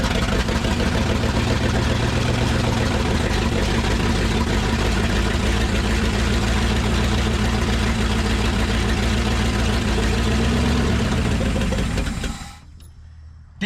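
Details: 1963 Loadstar truck, abandoned, first start after timing was set: steady, even V8 rumble, no misses or knocks, about twelve seconds before shutoff. Runs healthy; owner suspects earlier no-run was timing or plug wires.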